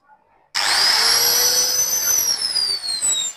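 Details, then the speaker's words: Maktec (Makita) angle grinder that had seized from destroyed bearings: the motor snaps up to a high, clean whine that holds steady then eases off, no grinding or rattle; normal running. "dan putarannya juga sangat kencang dan tidak ada bunyi eh bearing yang hancur ya"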